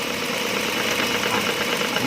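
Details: Proton Saga FLX at idle: fast tinny rattle buzzing continuously from the butterfly flap inside the intake manifold sitting loose at its lowest position; repositioning it slightly higher stops the noise — intake manifold flap rattle.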